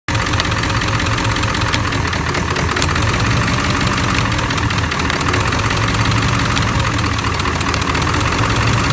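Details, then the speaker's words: Ford 7.3L Powerstroke diesel idling loud with an uneven, lumpy beat and faint irregular knock; bank 1 injectors intermittently dropping out, suspected short or poor connection at the under-valve-cover harness; injector misfire. "much what we got going on is intermittently bank 1 being lost either to a short or a poor connection at the under valve cover harness."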